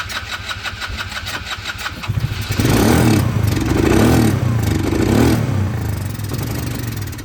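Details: 2010 Polaris Ranger RZR 170, sat for years; no fuel reaching the carb, so it runs on sprayed carb cleaner with the airbox off. Cranks with quick ticking, then runs unevenly and smokes, smelling of old fuel. Fuel starvation.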